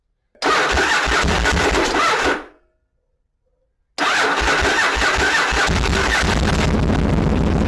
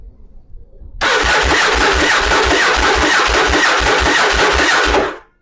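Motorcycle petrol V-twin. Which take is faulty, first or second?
second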